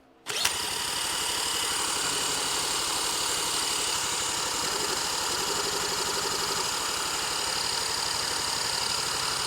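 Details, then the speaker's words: Neglected 1977 Honda Z50 stored 25 years, cranked with an electric drill starter on an auxiliary fuel tank: high steady whine with soft chuffs, never catches because the fuel was left turned off. "nothing nothing oh turn the fuel on check fuel on"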